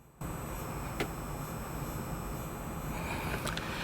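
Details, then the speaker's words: Constant electronic hiss and low buzz with faint high whistling tones and light screen taps, heard through sensitive in-ear monitors on a DAP at half volume in single-ended mode; worse single-ended than balanced, ground connection in 4.4mm interconnect suspected. "so this is what happens you know you can hear this electronic sound that's coming from a dep which is you know a very good device"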